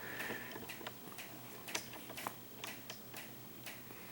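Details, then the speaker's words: Ceiling fan in a quiet bedroom: light, sharp, slightly uneven clicks roughly twice a second as it turns; the fan also wobbles and has clicked for over a year. Cause suspected, not confirmed. "you hear that clicking noise no it's not a jackhammer somebody's doing outside somewhere on the street hear it that just drives me batty"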